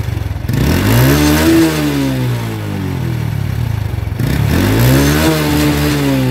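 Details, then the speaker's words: Honda Revo Absolute motorcycle that backfired when closing the throttle: two clean blips returning to idle with no pops after both SAS (secondary air) hoses were capped; backfire gone. "Nah di sini terbukti ya ketika ditutup selang SS nya ini yang satu saya tutup kedua-duanya saya tutup bukan yang satu saya itu kedua-duanya saya tutup tembakan di knalpot pun sudah hilang"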